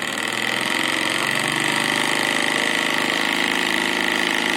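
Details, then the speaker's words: RC model compound steam engine idling on low fire at only about 1 bar of pressure: fast, even chuffing beat with a steady high hiss, no knocks or stumbles; runs smoothly. "Je suis à mon petit bar, petit bar de pression, au ralenti, et j'ai déjà une machine qui fonce."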